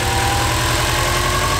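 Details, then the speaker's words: Subaru WRX started after sitting almost 4 months under a tarp, fuel pump primed first: easy start, steady even idle with smooth low pulse, no knocks or misses; healthy. "I am super hyped to see this car running. It's been almost 4 months of it being absolutely in this spot without moving, and it started out like a dream. Absolutely great."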